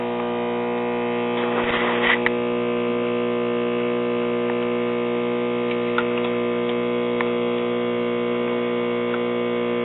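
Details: 1957 RCA Institutes kit AM tube radio, ~65 V AC input, ~57 V at rectifier cathode, filter capacitor measured bad: steady low buzzing hum, no stations received; possibly poor alligator clip lead contact.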